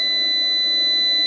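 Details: Off-grid solar inverter whose RCD kept tripping: steady unbroken high-pitched alarm tone sounding while the inverter wiring was being checked; a loose, cracked, sparking brown neutral wire was then found as the cause.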